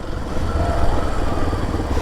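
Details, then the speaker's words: Kawasaki KLX 230 single-cylinder after 1.5 months in service under warranty claim, previously cut out suddenly; now runs steady and unbroken with even thumping, no stumbling or stalling, normal running. "ಏನು ಗಾಡಿ of ಆಗ್ತಾಯಿಲ್ಲ, ಮೊದಲು ಸಡನ್ನಾಗಿ of ಆಯ್ತಾಯಿತ್ತು, tension ಆಗೋಗಿದೆ."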